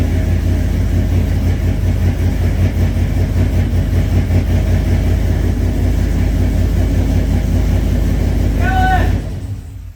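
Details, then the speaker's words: Cammed 5.3 V8 in a single-cab Silverado with a fast, rough tapping of about two or three a second over the exhaust. No oil reaches the top end and rockers. Valvetrain ticking from oil starvation. "there's no oil up here at all seriously yeah look at there's no oil in the there should be oil running down out of this hole"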